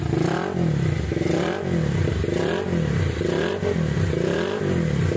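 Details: Minerva R150 Xrod single-cylinder, previously rough and white-smoking, after replacing bearings, the piston and other parts with timing at T: revs rise and fall smoothly with no clatter or rattle. It is normal running.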